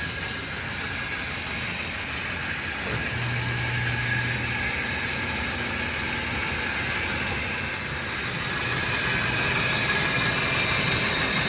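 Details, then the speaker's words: 2004 Ford Explorer engine at idle after oil-filter leak repair: light even tapping about three per second from the upper end, plus a pulley noise; upper end knock, cause suspected, not confirmed. "Definitely heard a pulley noise, but that's the least of our worries right now because I'm still hearing a lot of like knocking, like upper end area noise that I don't like to hear."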